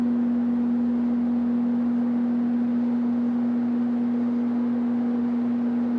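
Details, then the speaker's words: 1969–1970 Sears Kenmore (Vernco) box fan, 3.7 A 1/12 HP motor, 5000 CFM, reversible with thermostat, not oiled, running on medium: smooth, even motor hum with soft airflow rush, no rattles or ticking; normal running. "even on medium it's about to blow the camera over"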